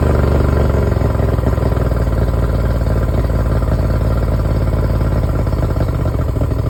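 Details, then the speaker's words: Yamaha 70 two-stroke outboard after a no-crank no-start fix, run briefly at idle without cooling water, half choke, not revved: steady, even burble, no misses or knocks; healthy idle. "I'm not revving it up. I'm not running it for long. It's fine. It's not going to overheat."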